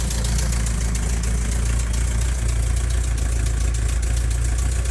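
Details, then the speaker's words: 1985 Volkswagen Vanagon Westfalia idle: deep steady idle with a quick light ticking in step with the engine from a small exhaust leak; otherwise runs well. "and it runs pretty good has a small exhaust leak which is a clapping noise the hearing and I'll have to fix that other than that it runs really good and it drives really good"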